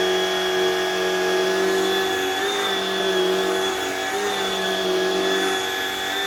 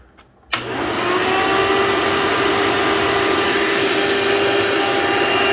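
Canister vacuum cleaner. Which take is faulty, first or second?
second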